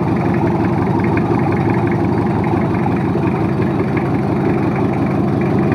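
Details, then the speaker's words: Toyota Kijang 2L diesel after overhaul for low compression and abnormal noise, first start after reassembly: even, low, smooth idle with no knocks or misses, oil pressure up, no smoke; normal idle. "dan suaranya pun halus olinya udah naik 15 lalu tekanan Indo perindunya juga enggak kayak gini jujur aman enggak ada asap"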